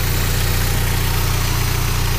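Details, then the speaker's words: VW Golf Mk3.5 ABF 16V four-cylinder petrol idling: smooth, steady hum with even low drone, no ticks or hunting; healthy idle, no sign of the common idle micro switch fault. "The engine though, definitely sounds like a good one. Doesn't nice steady idle."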